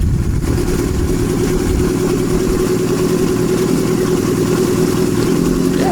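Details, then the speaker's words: Kawasaki Z650B under restoration on substitute uncleaned F2 carbs, pointing to the original carbs as the problem; one carb may need raising: steady, even four-cylinder idle, smooth exhaust burble, no misses or knocks; sounds pretty good. "sounds pretty good"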